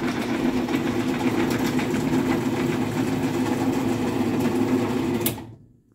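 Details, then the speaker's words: MW screw-drive garage door opener after fixing pulley scraping the back cover: steady motor drone with mild buzzy rattle, stops cleanly; rattle thought to be rail vibration or the little screw support, unsure. Normal run. "so yeah this thing is actually a really quiet machine without all that extra noise"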